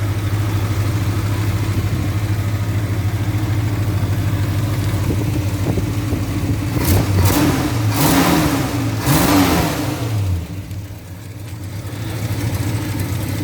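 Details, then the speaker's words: 1966 Dodge D200 pickup with original engine and transmission, electronic points, rebuilt but leaking carburetor, burns about a quart of oil per 150 miles: even idle, two smooth revs and settling with no knocks or ticks. "Here, I can start it up, I'll show you. Being from 1966, still a pretty good sounding motor."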